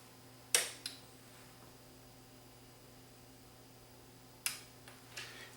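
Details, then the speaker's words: Toshiba SA7150 amplifier with no sound on the left channel: sharp relay clicks over a low mains hum, the right speaker relay engages but the left board's protection relay never does; suspected protection mode from DC offset or a bad relay. "the other relay is kicking in this one's not this relay is not kicking in down [Music] here so the relay on the left board is not turning on so I have to investigate a bit and find out why it's not turning on"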